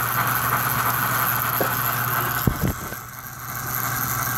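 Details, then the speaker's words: 65-year-old American Flyer toy train locomotive with a new controller and synchronized chuff: a steady electric buzz over the motor whirr with brief squeaks; unclear whether from a cam or the idler. "you are getting a little buzz out of it now i don't know if that's a cam or the idler"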